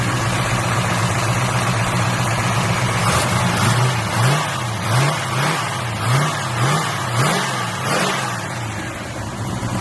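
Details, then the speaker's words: Buick Regal engine blipped repeatedly, revs rising and falling about once a second, with a dull knock riding each rev; knock attributed to a bent flywheel (serpentine belt also wrong and misrouted). "But the knocking is actually coming from the flywheel. The flywheel on this thing bent, man."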